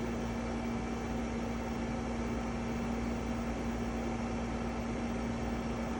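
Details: EcoFlow WAVE running: steady loud droning hum with constant low tone, rougher and noisier than normal, cause undetermined.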